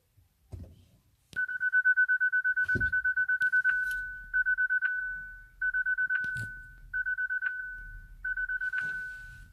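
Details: Hyundai Ioniq Electric won't start, brakes problem shown, key not detected, start tried by pressing the key on the start button; bright steady chime in quick pulsing bursts, restarting with each failed start attempt.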